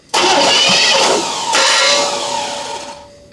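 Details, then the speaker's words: 1983 Chevy K10 revived after 24 years, fully disassembled with many new parts: harsh metallic grinding as starter engages flywheel still spinning, key released halfway; cranking compression about 155; starter grinding against flywheel. "that noise is the starter grinding into the flywheel cuz it was still"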